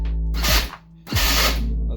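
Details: Power Wheels Dune Racer with a dual drill-battery upgrade, in high gear and tested before fitting a brake reduction module: the motor whirs up, then cuts with an abrupt grinding, ratchety clatter twice on pedal release. The harsh stop loads the gearbox.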